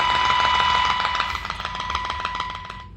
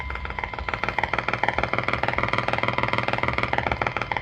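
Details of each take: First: 1946-48 Sparton Model 6-26 radio during IF alignment with weak modulated signal around 40 mV: loud, steady high-pitched 1 kHz tone from the speaker; IF alignment test tone. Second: 1946-48 Sparton model 6-26 radio during alignment, phone held near speaker; sharp rapid popping about three per second, interference from phone display that stops when display turned off, not a radio fault.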